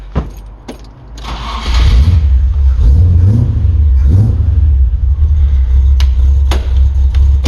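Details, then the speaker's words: Land Rover Defender 90 with 4.6 Rover V8, after front cover gasket replacement for an antifreeze leak and refilling fluids, started in neutral with some gas: key clicks, quick crank, catches within a second, settles to a smooth even idle; healthy start. "there we go. Purrs like a kitten."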